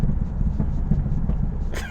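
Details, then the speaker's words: 1991 Chevrolet Camaro Z28, 22,000 miles, five-speed, driving under load after injectors were cleaned: deep lumpy exhaust rumble with stumbles, backfiring pops; misfire returns at a specific throttle position, not rpm, traced to dirty fuel injectors. "it's not fixed it's misfiring badly again you got to be kidding me it's backfiring out of the exhaust and"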